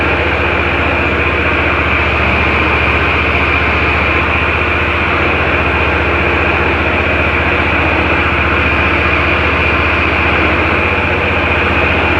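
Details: Ferris IS-3200Z zero-turn mower, Vanguard engine, running after spring maintenance and hydro oil change while purging air: steady even engine drone with constant hiss, no knocks or surging; runs smoothly.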